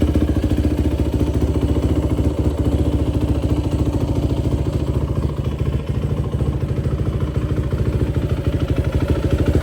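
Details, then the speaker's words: 2004 Yamaha YFZ450 quad after sitting, carburetor cleaned for a clogged pilot jet and new ignition fitted, on a freshly hooked-up battery: even, steady low thumping at idle, no misses or knocks; fan kicks on, not overheating. Normal idle. "So, she does run pretty good. You can hear the fan kicked on. It's a good sign."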